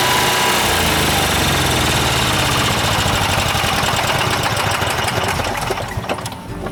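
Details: Class C motorhome generator that previously took many tries to start, now fixed by replacing the oil switch: catches straight away and settles into a steady, quick running beat with no stumbling or misses.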